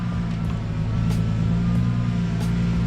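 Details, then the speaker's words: Lexus IS300 with its second (O'Reilly) power steering pump on ATF fluid: a low engine drone with a steady whine over it. The steering assist only works when the engine is revved, which the owner blames on the non-OEM pump. "This is my second power steering pump, and it is whining. And yes, I am using ATF fluid, but it's just, it only works when the car is revved up."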